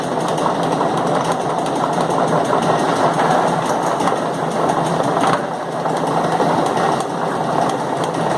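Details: Steady whirring drone from the chain drive with an especially loud periodic knock about five seconds in. The knock recurs, and the chain is thought to take roughly one minute per revolution. The cause is suspected but not confirmed.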